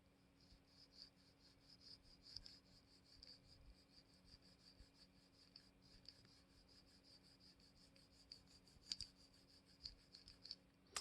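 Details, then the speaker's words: Folding knife, brand new and oiled with Tri-Flow graphite lubricant; blade swinging gives a faint dry scratchy rub with small clicks, still gritty pivot friction. "oiled this using tri-flow graphite lubricant to try to get this to be smoother and you can still hear"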